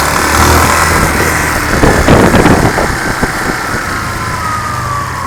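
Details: 2005/06 Yamaha Fazer 250 single-cylinder with over 115,000 km, idling: loud, fairly regular deep knock about four a second over the engine; worn connecting rod confirmed, later replaced.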